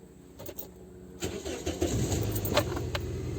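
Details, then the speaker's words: Scion xB four-cylinder: light clicks, then cranks and catches into rough, uneven idle; misfire data shows dead misfire on cylinder two, proven bad ignition coil; valve cover gasket also leaking. "so we got a dead mess we got a bad coil proven right there no doubt about it"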